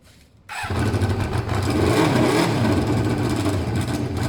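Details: Motorcycle just rebuilt with its coolant topped up and no stand, with pod air filters: it cranks, then catches half a second later into a ragged, uneven beat that never settles, struggling and pulling the pod forward from an over-restricted intake.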